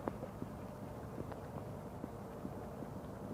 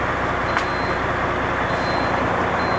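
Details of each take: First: International 9400 truck with a ZF AS-Tronic gearbox, rebuilt 600 km earlier, runs but won't drive and shows SID58 fault: sharp irregular clicks of the gearbox shift air valves over a low steady diesel idle. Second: International 9400 with a ZF AS-Tronic gearbox, previously not driving, now with clutch releasing and input shaft at zero: steady high half-second reversing beeps over a loud diesel idle; reverse engages and the truck tries to move.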